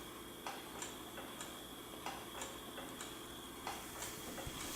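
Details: Fisher-Price Woodland Cradle'n'Swing motor after fixing the occasional startup grinding noise: light, even ticking at roughly two per second with no grinding; now runs quieter and smoothly, not super quiet but not loud anymore.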